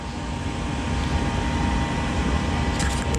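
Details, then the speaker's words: Amana 80 SV Air Command furnace with the safety switch jumpered: the vent (inducer) motor starts first with a steady, even hum and airflow, no rattle or squeal, while the igniter begins glowing. Normal inducer operation. "first things happen vent motors to start sounds good you start to get a some glow action in here"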